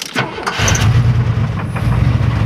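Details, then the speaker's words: 1994 Chevrolet Astro van, about 208,000 miles: starts right away and settles to a lumpy idle with irregular clunks, same with belt on or off, so internal to the engine; likely serious, source unknown. "and it does it with the belt on or belt off so it's internal to the engine it's probably a serious problem of some kind with the engine"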